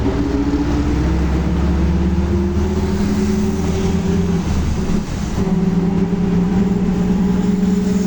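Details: Volkswagen Torino S 17-230 OD Euro V diesel bus, driving: a steady droning hum rides over the engine, its pitch shifting with road speed; loud howling rear differential.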